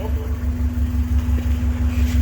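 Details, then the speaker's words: Subaru engine idling smoothly after water pump replacement, with a steady even low hum and clean mid tone, no knocks, squeals or misses; motor sounds much better now. Earlier, steam was seen coming from the water pump area. "yeah sounds good now actually the motor sounds a lot better"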